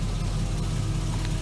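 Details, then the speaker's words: 1965 Chevrolet C-10 with LS swap after new valve covers and coils, idling: a steady low rumble that does not rise when the gas is pressed. The drive-by-wire throttle system is faulty. "Check this out. Nothing. So now, after letting it run for a little bit, I've determined there's a problem in the drive-by-wire system."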